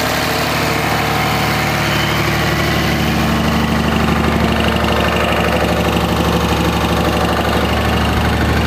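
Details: 2004.5 Ram 2500 Cummins diesel idling: steady clatter with a regular knock about three per second; knock heard in reverse when the truck bounces on brake release, goes away at idle; cause not yet pinned down.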